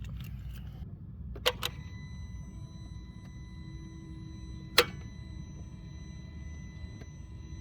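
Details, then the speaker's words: Mercedes R230 SL55 AMG no-start, phone left near the starter on that side of the engine: key turned, sharp single click held about five seconds then released, no cranking; starter battery measured 12.4 V, so not a dead battery. "So when you twist the key, it just goes click and then it it holds it for five seconds and then it releases it. So you can hear the click of the starter which is down on this side of the engine."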